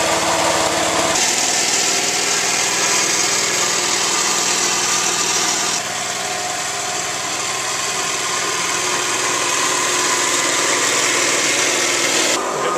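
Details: Small single-cylinder engine on lawn equipment unused all winter, started after switching fuel on and easy-start: settles into a fairly even buzzing run with a steady beat and no misses; runs normally.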